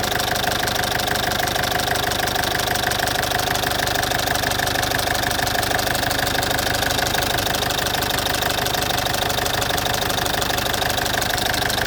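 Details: Citroen C5 2.0 HDi 100 kW diesel at idle: loud, with an even sharp tick about three a second. Owner suspects the injectors area, unsure. Injectors, piston rings, valves and valve seals were redone 15,000 km earlier.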